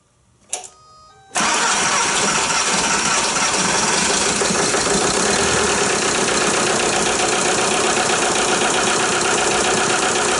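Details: VW Jetta A3 TDI diesel after glow plug harness replacement and reattaching injector return lines, bled at loose fitting: short crank, catches straight away, settles into steady, even diesel clatter at idle; starts and runs healthy.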